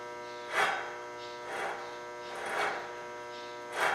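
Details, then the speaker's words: 2012 Cadillac CTS front passenger wheel bearing, removed hub spun by hand: gritty rasping swells about once a second, versus a quiet new bearing; worn bearing caused speed-sensitive groaning while driving. "hear how noisy that is? That sounds like crap."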